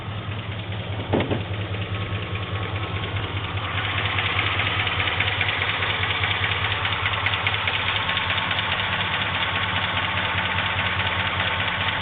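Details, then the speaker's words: 2004 Chevy Silverado V8 at idle: light, regular tick through the steady hum, heard on the right side but not the left. Owner asks whether it is a bad lifter or a rod. "trying to figure out what is the ticking sound in my truck. Chevy Silverado."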